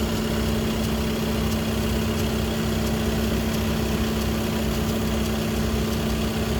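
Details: Skoda Octavia 3 (5E) RS 2.0 TDI DSG idling hot/at normal temperature: steady mid-pitched hum with faint regular ticking from the DSG gearbox; an official Skoda workshop could not determine the cause.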